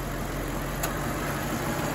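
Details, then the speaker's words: Infiniti M45 at idle with AC off: loud, steady rushing roar from both radiator fans that never eases and grows louder; fans stuck at full speed from a failed fan control module. "as you can see this fan is running this one is running too with the ac off and you can hear it accelerating it's getting louder can you hear that it's getting louder already"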